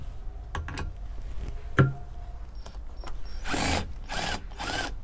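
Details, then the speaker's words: Parkside PBSA 12 D4 12V cordless drill (28Nm max) in first gear at torque setting 7, freshly charged battery, driving large wood screws: motor whirs, then three short even ratcheting bursts as the clutch slips precisely. Normal clutch operation. "Torque setting 7 Nice, for now it is very good with pretty precise clutch"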